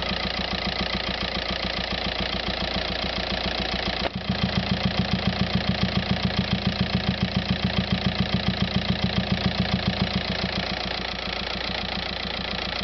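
Diesel idle carries a sharp, very even tick about three or four times a second over the clatter; abnormal noise, source undetermined.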